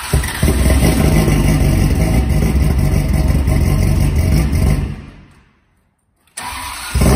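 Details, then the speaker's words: Ferrari 360 V8 first start after full engine rebuild, oil pressure pre-built by cranking with fuel pump relays disconnected; deep bark revving cleanly, dropping and picking back up, running healthy. "so we are ready for the moment of truth we've started up for the first time since it's been rebuilt"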